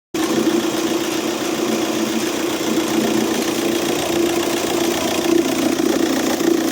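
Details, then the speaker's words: Audi A3 8P 2.0 TDI (BMM) diesel idling: a busy, uneven knocking rattle that sounds like a failed dual-mass flywheel. Seized alternator overrunning clutch pulley. "Обгонная муфта на генератор заклинила и звук такой на первый взгляд, как будто двухмассовый разлетелся или ещё что-то."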